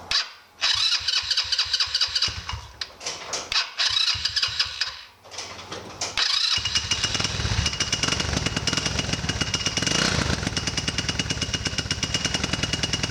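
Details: 150cc GY6 scooter engine just after new clutch installation: a few cranking bursts catch, then a steady, even buzzing idle without clatter; normal starting and idle.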